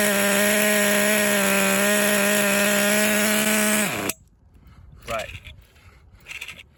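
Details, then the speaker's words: Kyosho Foxx 2.0 nitro RC car with a new Kyosho engine being broken in and a 3-speed clutch: high revving with a weird grinding noise. The engine is not hot; the clutch springs checked fine, and a crooked clutch bell or bad bearings are suspected. "I'm going to try to start it up again. Yeah, you can hear it. You hear that grinding noise? Weird grinding noise."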